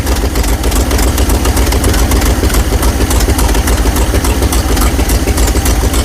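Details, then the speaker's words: 1970 GMC 2500 3/4-ton V8 truck revived, oil previously put in a cylinder: heavy lumpy thump at three to four beats a second with uneven pulses; rough idle, though oil pressure is good. "She doesn't sound like she wants to stay running now. >> No. Wow. You don't sound happy."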